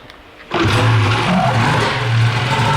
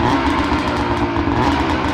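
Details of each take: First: 13-year-old two-stroke race snowmobile that rips cold but bogs once warm (owner suspects a sticking power valve), run after debris was found in the fuel line: slightly better once heated but still lazy and not snappy on throttle. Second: 13-year-old race snowmobile (two-stroke) with a bog issue when warm, power valve sticking suspected: warmed-up engine now buzzes at a steady pitch without stumbling, sounding much better though still not fully sorted.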